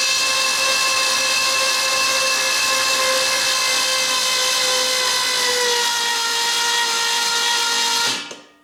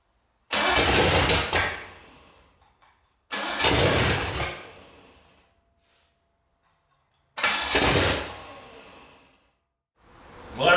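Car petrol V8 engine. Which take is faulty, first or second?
second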